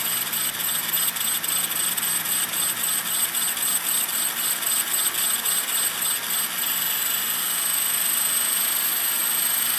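A high, buzzing rattle with a fast uneven beat over the rotor whine, an abnormal vibration in hover whose source is unknown.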